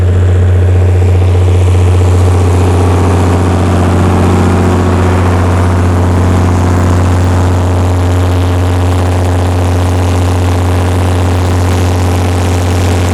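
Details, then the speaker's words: Perkins diesel generator after injection pump reinstall, recalibrated injectors and new fuel filters, under about 45 kW load: loud steady drone holding 60 Hz without surging or misfiring; voltage still unstable, governor issues remain. "okay so that right there proves we've got enough horsepower to maintain 60 hertz at 45 kilowatt"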